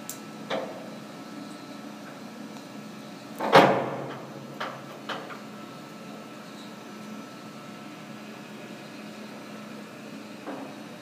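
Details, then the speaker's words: Monarch 60-inch T-lathe, model T-48: the spindle runs at high speed with a low, steady hum, very quiet with no gear whine or grinding. "and that's a much higher speed so you saw a low speed a medium speed and a high speed I mean essentially you can hear it's very very quiet no gear noise"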